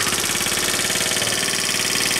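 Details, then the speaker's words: 1981 Honda Passport after fixing low compression, valves may need re-adjusting: quick, even single-cylinder idle with a light top-end rattle, starts easily and runs clean and steady; normal idle. "but it starts really nice and really easy let me see turn it on and uh see how good she'll start"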